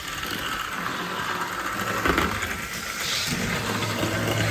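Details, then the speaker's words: Athearn Band-Drive F7 model locomotive running laps, rubber band driving the axle, power from front truck only: faint, even high whir with soft track rumble, no catching or grinding; surprisingly smooth. "actually really nice I'm surprised how smooth it is but they we don't really have gears oh we God is a rubber band pulling the the axle around I'm shocked in stunned that's much nicer than I was expecting"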